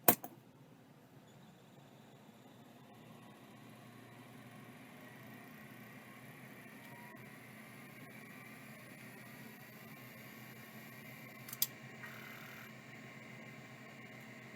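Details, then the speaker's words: Old hard drive feared to have a broken solenoid lock or failing tantalum capacitors: faint, steady whir with a thin high whine and one brief click, no scraping or knocking; normal spin-up. "well it just works how about that not what I expected that's for dang sure"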